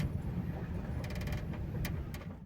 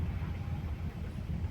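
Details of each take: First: Chery Arrizo 8 driving: short creaking ticks over road rumble from the trunk, traced to an unwelded corner of a trunk panel flexing near a hole; body panel creak. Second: Chery Arrizo 8 while driving, with a tool pressing the loose corner near a hole in the trunk that lacks a spot weld: steady low cabin and road rumble with no creaks or ticks, the trunk creak gone.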